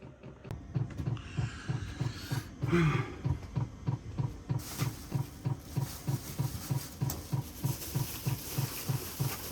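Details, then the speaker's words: Cheap Chinese Amazon 12V diesel air heater in a skoolie bus, heard from the bed inside at night: steady dull fuel-pump ticks about three per second, loud enough to disturb sleep all night. "see I lay right here and I just hear that ticking ticking ticking all night drives me crazy and uh I can't sleep with it sometimes it's it's tough"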